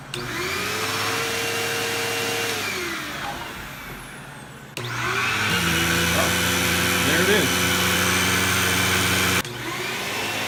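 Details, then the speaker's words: Bissell CleanView II Plus 3576M 12-amp bagless vacuum, previously losing power with a strange sucking sound, after cleaning and reassembly: motor spins up to a steady even hum with no sucking or gurgling; running normally. "I'm calling it a good one I'm calling that a fix that is fantastic"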